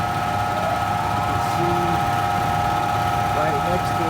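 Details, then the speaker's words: Central air unit in the attic. A loud, steady buzz with a fixed tone while the fan motor labours and never spins up cleanly. The owner deduced the capacitor needed replacing, before replacement. "knows but you can probably hear it I'm sure my air conditioner the fan is being real loud"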